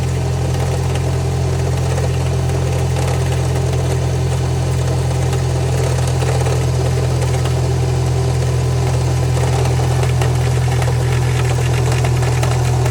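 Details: Subaru EJ20X engine at idle: steady low idle with a faint, irregular knock roughly four per second; owner suspects rod knock, source unconfirmed.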